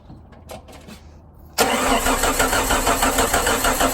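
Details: Jeep Wrangler that died while driving, cranking with no start: starter churns steadily, about three beats a second, engine never catches. Fuel pressure good, no spark or injector signal, computer and crank sensor tested fine; traced to a blown fuse.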